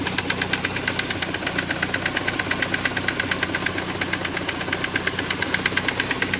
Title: Saab 900 Aero Classic 1991 knocking sound